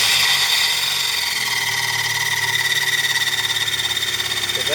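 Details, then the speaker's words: 1998 Dodge Neon 2.0 I-4, 5-speed manual: just after engine start a high thin whir rides over the idle and fades slowly; the starter drive pinion is hanging up, not retracting from the flywheel, so the starter must be replaced. "is the starter drive hanging up, not wanting to come out."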